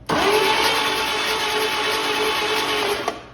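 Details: Early-1940s Chevy 216 inline-six, unused 40+ years, with a stronger battery: steady high starter whine spinning freely about three seconds with no firing; cranks but doesn't start.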